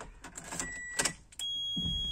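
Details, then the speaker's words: Wheelchair van with Q'STRAINT QLK-150 docking lock, ignition switched on with no chair docked: key clicks, then continuous high-pitched squeal holding steady; lock warning no wheelchair secured, silenced by button. "hear that squealing noise that's warning me that he's not locked in"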